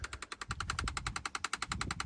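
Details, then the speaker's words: Range Rover L322 TD6: rapid, perfectly even ticking of about ten clicks a second over a faint hum when a door is opened, from a failed heater flap motor/actuator. Owner calls it a small job to replace. "it's not a big job to do it's something I'll do because it's bloody annoying when you open the door and it sounds like a a wood Packer going me on"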